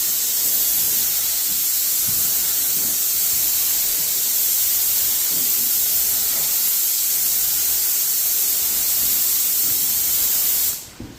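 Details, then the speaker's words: Graco Magnum Pro X17 airless paint sprayer, first test spraying a wall: loud steady hiss for about ten seconds, cutting off at trigger release, rising and falling as the pump replenishes pressure; normal operation. "kind of hear the flow it like it like makes a really loud hissing sound and then it slowly uh dies down for a little bit and then comes back that is the pump replenishing any pressure that you've already released"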